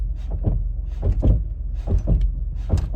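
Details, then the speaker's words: 2007 Chevy Uplander, 248,838 miles, creeping forward and tapping the brake: deep, hollow clunks in pairs about once a second as the control arm shifts forward and back; lower control arm bushing loose and fallen out. "And just from the sound, all I'm doing is tapping on the brake pedal, and I can feel like the control arms going forward and back. So I'm pretty confident we're gonna find lower control arm bushings are bad."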